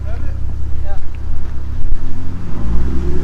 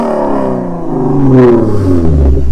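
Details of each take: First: Lexus RC350 with PPE headers, Invidia mid-pipe and Remark axle-back, after resonators were installed: the engine revs and falls back with a smooth, rounded exhaust note. The harsh 2500–4000 rpm rasp is gone, though a slight blow-off-like sound remains. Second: Lexus RC350 with PPE headers, mid-pipe and axle-back, nearly straight-piped, before resonators: a harsh, raspy buzz over the exhaust note as revs climb through about 2500–4000 rpm. Resonators planned as the fix.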